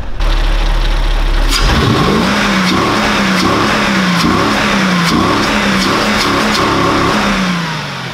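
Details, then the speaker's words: Mercedes CL 500 with LPG, after fixing a misfire from a broken ignition coil and an unplugged connector; quick start, then sharp throttle blips rise and fall cleanly, no stumble, power restored. Normal revving. "jetzt hat er richtig power das merkt man auch"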